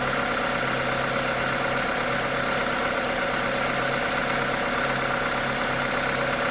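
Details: Toyota 2ZZ-GE engine at normal idle: steady, even idle under a loud airy hiss from the open induction kit, no knocks, ticks or misses; healthy engine.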